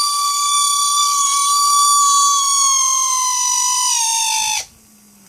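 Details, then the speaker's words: Mercedes 600SL V12 throttle body motor on a variable voltage supply: steady high-pitched whine whose pitch drops with voltage and fades at lower speed, with slight vibration and a hot shaft end; the motor is worn and needs rebuilding. "I'm changing the voltage so you hear the pitch changes that was the high pitch noise see I can change the speed on it and basically went away after I decreased the speed"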